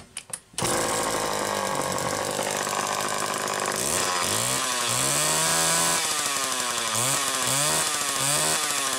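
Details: Late-1960s Homelite EZ chainsaw (2.1 cu in, manual oiler), warm, on a test run after repairing piston damage: crisp two-stroke buzz that revs and drops back cleanly on each blip with no stumble or misfire; running healthy.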